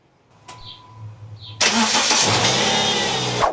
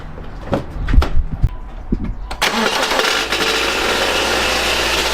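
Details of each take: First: 2012 Subaru Outback after repair of a banging, rod-knock-like sound, test start: short crank, then catches cleanly and runs evenly with no banging or knocking; healthy start. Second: 2012 Subaru Outback, about 230,000 mi, replacement CVT at 180,000, head gaskets done at 110,000: after starting, harsh rough clatter over the idle from the back of the engine near the starter; cause not confirmed.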